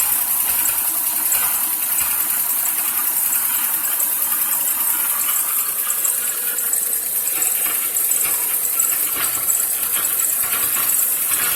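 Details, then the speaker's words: Buick Rendezvous idling: hissy high whine from a damaged power steering pump partly masking a faint tap-tap lifter noise, heard better when the camera is moved to the right. "Unfortunately, the power steering pump is also damaged, so you're missing out on hearing exactly the lifter noise. But if I isolate it to over here, you can hear the tap, tap, tap, tap, tap, the lifter noise."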